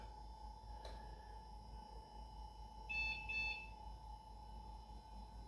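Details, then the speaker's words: Dell Dimension V350 (1998, Windows 98), probably its first power-up in about 20 years after new CMOS battery: steady high whine with brief chirps as the old hard drive spins up normally. "oh yeah we got a screen this is good I hope we get more than just a screen you can hear the hard drive spinning"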